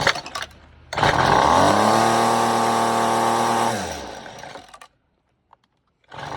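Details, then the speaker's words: FeatherLight Plus FL26 two-stroke string trimmer after carburetor replacement, started on full choke: fires up, holds a steady high buzzing rev, then winds down smoothly with no stumble or hunting; new carburetor works. "all right so being that it did run for a second you know the carburetor is good"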